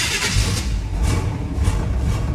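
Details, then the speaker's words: 1977 Monte Carlo, cold engine cranking (electric fuel pump, no choke): a thin starter whine rides over the pulsing crank, meaning the starter sits too close to the flywheel and needs shimming. "you hear that starter whining it shouldn't do that that means a starter is too close to the uh fly will"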